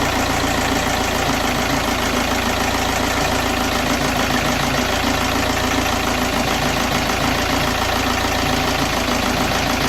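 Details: BKD diesel idling cold with an uneven, lumpy beat of about three pulses a second and loud clatter; rough cold idle, cause not clear.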